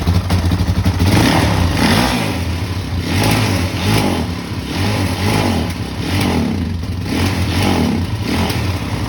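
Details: 2006 Kawasaki KFX 400 single, after a valve adjustment that first left it a no-start: fires up and takes several clean throttle blips, revs rising and falling smoothly with no popping or clatter.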